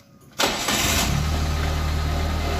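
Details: Suzuki Karimun kotak, after fixing a loose starter bendix cable that caused the no-start: one quick catch and the engine fires straight into a steady, even idle. Normal engine start.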